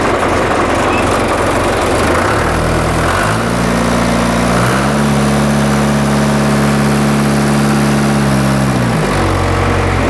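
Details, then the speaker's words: John Deere 2440 diesel tractor after new pencil injectors and fuel filter, hood off: even diesel clatter rising to steady higher hum and back, running smoothly on all four cylinders, no misfire; normal. "mine runs on all four cylinders it runs smooth it sounds good"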